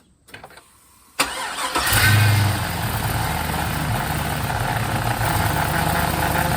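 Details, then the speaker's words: 1951 Hudson with an LS 5.3 V8 swap and eBay harness, first start, coolant system still empty: a brief crank, then it catches within a second and settles into a smooth, even idle; a normal start. "she started"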